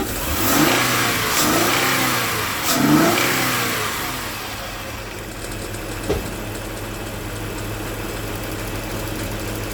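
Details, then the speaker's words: Car with crank-no-start, idling on its own after about 5 minutes on supplemental fuel: steady idle, then a snap throttle revs cleanly and drops back smoothly; healthy response, clearing up. "Definitely clearing up a whole lot better. Definitely clearing up a whole lot better."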